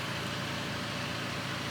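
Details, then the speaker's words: VW Tiguan diesel, 11,243 km, rebuilt after accident damage, engine reinstalled, just started in garage: steady even diesel idle, smooth low rumble, no knocks or misses; running smooth and healthy. "Cars are actually running quite smooth. It is a diesel, just remember"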